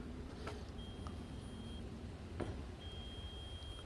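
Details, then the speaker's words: Weber iGrill thermometer's temperature alarm beeps during a Thanksgiving cook on Weber Kettles, measuring meat internal and grill temps: two long thin high beeps about a second each, two seconds apart, over quiet outdoor hum. "that noise you hear beeping in the background is this little igrill unit by weber that's what i'm using to measure the internal temps today"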